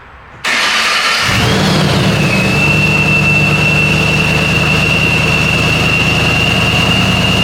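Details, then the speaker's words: Ford Mustang with a replacement engine and ProCharger, first start after priming oil pressure with injectors and fuel pump disconnected: cranks, catches quickly and settles into a steady idle with smooth belt whine; runs better than before. "Oh, that even runs better than before. It's kind of anticlimactic."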